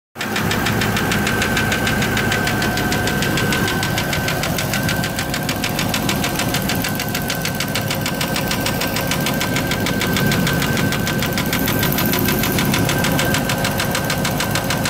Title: Land Rover Discovery '03 Slipped Sleeve Ticking Sound